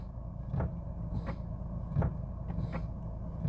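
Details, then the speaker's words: 2018/2019 Renault Captur Life 1.6 with CVT automatic, at idle: soft dull clunks from the gear selector area each time the brake pedal is pressed or released, several in a few seconds; cause unknown. "vou colocar o pé no freio ele dá tipo um aviso colocou o pé no freio ele dá um barulho aqui ó tirou também coloca faz barulho e tira também faz então é um barulho que incomoda"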